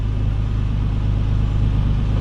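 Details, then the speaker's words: Nissan 350Z VQ35DE, after codes P0011 and P0021 caused by an incorrectly installed flywheel on a replaced engine, reassembled; deep, even idle hum at one steady speed, no stumbles, surges or misses, revs cleanly; normal idle. "remains very stable no longer It has no problem the accelerated one already develops the engine well"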